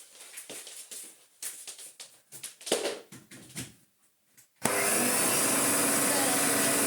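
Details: Hoover 427 cylinder vacuum (July 1977), stored for years with a torn original flex, first power-up: some handling clicks, then the motor starts abruptly into a steady, smooth high rushing whir that holds even; it runs normally, though the switch tabs are broken.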